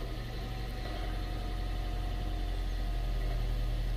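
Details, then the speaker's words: 2001–2003 Gen 1 Prius after injector replacement, restarted once fuel pressure had built up: smooth steady idle with a deep hum and no rattle or clunking, unlike the earlier start without fuel pressure. "now start it again and now it won't do the rattle because the fuel full fuel pressure is up"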